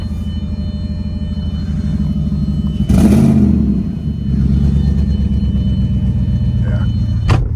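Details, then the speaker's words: Audi A6 4.2 V8 in the snow: deep idle rumble with a brief rev and a raspy puffing edge from an exhaust leak at the flex pipe, due to be fixed. "exhaust leak from the flex pipe but that's getting fixed tomorrow"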